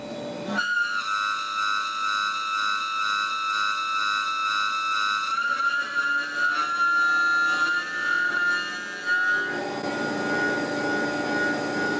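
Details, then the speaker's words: Tormach 1100MX CNC mill contouring a thin 6061 aluminum Brembo brake caliper bracket plate: a clean, steady cutter whistle shifting pitch smoothly with no chatter. It cuts better at this depth than on the thicker bracket. "all right it's cutting nicely in there it seems to like this depth of cut better than that extra couple hundred thou on the thicker bracket"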